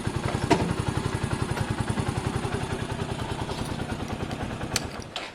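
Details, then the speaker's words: Sinnis SC125 single after the new performance carb was fitted: steady, even idle with regular exhaust pulses and no knocks or misses. Runs normally and drives well with no issues. "it drives very well guys it drives so well there's no issues here"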